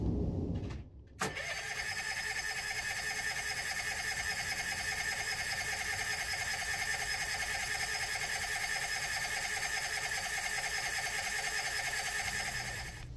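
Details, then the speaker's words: Old carbureted Kohler generator on 34' Sea Ray Sundancer, cold startup in cold weather: long continuous cranking with steady whirring pitch, no firing; cranks but won't start, choke suspected not working or misadjusted. "These old carbureted Kohler generators, they can be a bit finicky on a cold startup, especially when it's cold outside. Try it again."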